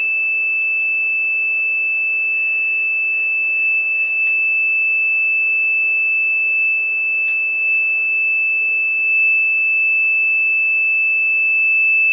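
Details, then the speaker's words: Newly built PC powered up for the first time after graphics card installed in the PCI Express slot: steady, piercing high whistle with faint beeps; the graphics card is missing its PCIe power plug. "i don't know what the hell is that whistling but it ain't whistling dixie"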